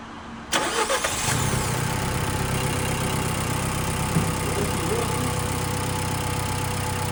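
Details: Nissan Juke 1.2 DIG-T turbo petrol after timing chain kit replacement and engine rebuild, fresh coolant, first start: cranks, catches quickly and settles into an even, steady idle with no knocks or rattles; normal start and idle.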